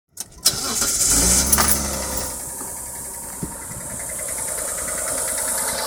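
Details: Verada engine idling after a quick crank and catch, with a fairly regular knock about four per second; source not yet pinned down.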